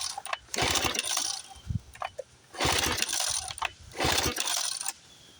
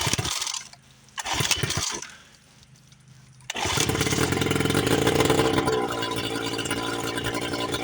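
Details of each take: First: 1976 Johnson Seahorse 9.9 outboard, 30+ years in a garage, choke on, in neutral. Three hard pull-cord yanks with a rattling whir, never catching; owner suspects no fuel reaching it, carburetor float blamed, and the carburetor is pulled next. Choke rod later found out of its slot. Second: 1976 Johnson Seahorse 9.9 two-stroke outboard, first run in over 30 years after repairs, on a flush attachment. A couple of pulls, then it fires and holds a steady buzzing run without hunting, carburetor unadjusted; runs properly, though no water comes from the exhaust yet.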